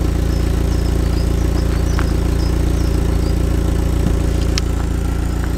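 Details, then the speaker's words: Neglected Audi TT, stock exhaust, cold start after standing a while, at the tailpipe: deep, even drone at fast cold idle, steady firing, no misses or rattles; healthy. "Nothing like a good cold start to check the exhaust. How good does that sound, really?"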